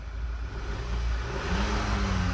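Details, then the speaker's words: Dodge 1500 diesel pickup, auction vehicle, engine low on oil with dirty oil: the engine note rises smoothly and cleanly when the throttle is blipped, with no knocks or rattles. Engine sounds healthy. "rev engine sounds good engine sounds good it's low on oil but it definitely sounds good"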